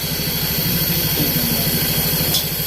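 Rough idle with an uneven, stumbling low pulse and occasional dropped beats, consistent with a cylinder missing at idle.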